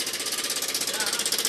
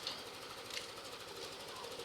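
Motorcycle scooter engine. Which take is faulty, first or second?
first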